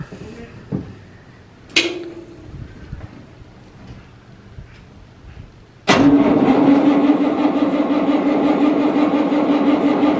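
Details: Massey Ferguson 40 diesel combine, about 1996, sat 3 years, first start after fuel system bleeding: catches after a couple of cranks and settles into an even run on its tank, slightly smoky from disuse; normal diesel running.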